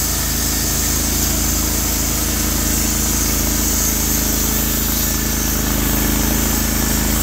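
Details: Norwood HD36v2 bandsaw mill, day two testing new roller guides (ceramics replaced), slabbing big black oak through bark, 1.5-inch slabs, about 24 inches wide: steady engine drone with constant blade hiss, no bogging or surging; effortless flat cut, motor loaded normally.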